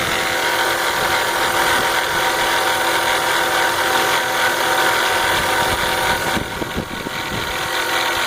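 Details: BMW 325xi (E46) at idle: steady metallic rattle at about four per second with an even beat, unchanged when the DISA is unplugged. The source is unclear.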